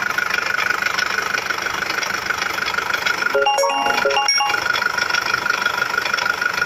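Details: Nissan ZD30DDTi diesel at steady idle: a regular sharp tick, about three per second, from inside the engine; knock source still not located.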